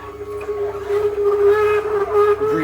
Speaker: And it's making those noises just because of the texture, the the leafy greens. once you juice them or once the juice comes out it becomes very uh how do you call it like it's not very it's not a very good lubricant